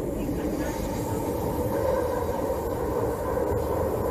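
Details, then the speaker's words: Train on an S-curve track with three turns at 55 km/h: steady mid-pitched drone over the rumble, intermittent roaring from corrugated rail alternating with quiet periods, and flange rubbing noise at each turn; rail corrugation noise. "noise and there is a quiet period. Another corrugation noise, another quiet period and there is flange noise. So can you hear the intermittent roaring noise?"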